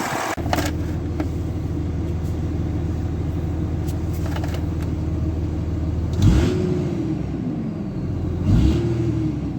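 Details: 2003 Dodge Ram 3500 dually diesel idling, temperature gauge just starting to rise: steady, even rumble with a couple of brief throttle blips, no knocking or missing; normal idle.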